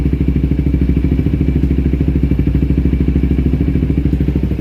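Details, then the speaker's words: 2008-2012 Kawasaki Ninja 250R after tune-up (oil change, new plugs, carb cleaning): steady, even idle with quick regular firing, set slightly too high; owner wants to turn idle down. "if i can turn the idle down slightly that's a little too much idle"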